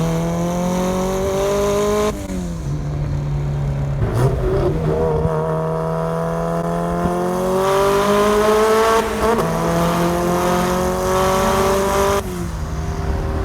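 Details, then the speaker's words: Nissan Sentra with SR20VET swap, pulling in a long gear (third or fourth): exhaust note swells and drops in waves, "wah wah" boost surge traced to wastegate crack pressure setting on the AEM Truboost electronic boost controller. "Like kind of wah wah, it would surge, right? So I finally figured out what was going on with that. My boost controller, I have the AEM True Boost boost controller."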